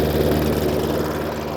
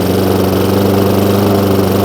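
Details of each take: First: Hayter Ranger 53 rotary mower saved from the dump, at full throttle: steady but slow drone, tachometer about 2,200–2,250 rpm, far below normal; governor/throttle linkage holding revs down. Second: Hayter Ranger 53 mower that would not reach full revs, after bending the throttle/governor spring clip forward: steady even drone at constant high speed, no surging or hunting; full revs restored.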